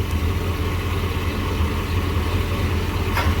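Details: Jeep Grand Cherokee V8, single catalytic converter, warm idle after a few minutes running, before coil packs pulled, recorded from underneath: steady even low rumble, no misfire; pre-cat about 230, post-cat 190; normal idle.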